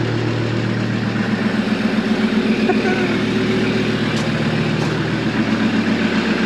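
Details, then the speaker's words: Engine started after repairing a crimped starter wire: steady, even idle with a smooth low thrum, no misses or knocks; running healthy. "So, I've just repaired that wire down there to the start. See what happens. That's a good sound."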